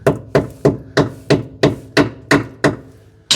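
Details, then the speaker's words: Citroën 2CV original rear suspension arms, nearly 40 years old, hammer-tapped to check for rust. Nine even taps, each a clean solid knock with no crunch or rattle: the arm metal is sound. "oh that sounds nice and solid"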